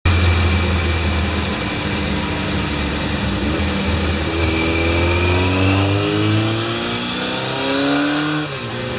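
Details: Kawasaki Z1 inline four after engine overhaul, 950cc, stock cam, CR-M29 carburetors fitted during tuning (89 ps): pulls cleanly up through the revs and drops back smoothly, no misses or rattles; normal revving.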